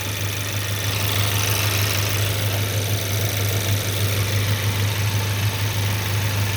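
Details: Idle of a rebuilt 2023 VW DLB engine (23k km) after a cold start and an oil and filter change, not yet warmed up. Smooth low idle hum with an even beat and no knocks, ticks or misses; healthy idle.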